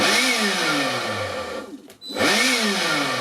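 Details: Yellow Dyson-style electric screwdriver tool after a repair attempt: high whine climbs, sags and dies to near silence, then spins back up; motor cutting out intermittently after the repair attempt, cause not confirmed.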